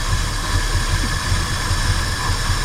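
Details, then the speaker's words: 1968 Ford F100 Ranger V8 long abandoned, six plug wires pulled: deep lumpy idle with missing beats, idling on only 2 cylinders, won't rev high; seems to run smoother, misfire cause unconfirmed. "That thing's idling on 2 cylinders. Y'all tell me what's causing that. That's a good engine to run on 2 cylinders."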